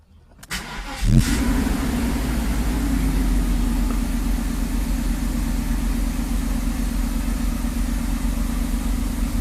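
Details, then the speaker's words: Mercedes V8 cold start after owner's own rebuild of the mechanical fuel distributor (previously ran on 5 of 8 cylinders after a bad rebuild): brief crank, catches within a second, fast idle rises then drops, smooth on all cylinders; cold start works, open loop. "so as you can see the car fired right up fast idle went up and went down the CT start Works"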